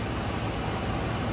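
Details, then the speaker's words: 2004 Dodge Ram 1500 4.7 V8 idling at startup after a new lifter was installed and the rocker arm refitted: a steady, even low rumble with no ticking or tapping; quiet, healthy idle. "i'm going to go into data and i'm going to start it up nice and quiet"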